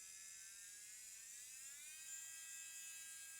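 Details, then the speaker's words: JSDA JD8500B micromotor drill on a test hookup to a power station with the DIN socket fault not yet fixed: thin high whir that holds steady, then climbs in pitch as speed is turned up; it spins smoothly with no grinding or stutter. "yes I [Music] can can I change direction it stopped it clicked and it reverse so looks like it's working"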